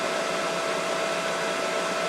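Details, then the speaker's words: Mikini 1610L mill with a replacement inverter-duty AC motor on a Hitachi VFD at full speed (120 Hz, roughly 5200–5500 rpm): steady rushing air with a faint constant tone and no knocks or rubbing, from the motor's top cooling fan. Normal. "if my math is right so all that noise is just the fan on the top of the top of the AC [Music] motor"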